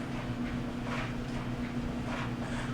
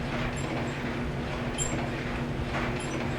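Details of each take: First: GE DCVH515EF0WW dryer after replacing the upper bearing WE14M124 for a squeaking drum: a steady drum rumble with a soft even hum, no squeak or screech; the dryer is running quietly and normally. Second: GE DCVH515EF0WW dryer running: low tumbling rumble with a thin, high squeak once per drum turn, caused by a worn upper bearing (WE14M124); the customer complained of squeaking, so the dryer is to be torn down.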